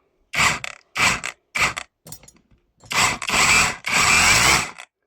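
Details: Parkside Performance X20V Team 3-joule cordless rotary hammer after repair (a burnt wire phase found): several short bursts of hammering rattle, then a longer even run without stalling; it runs normally.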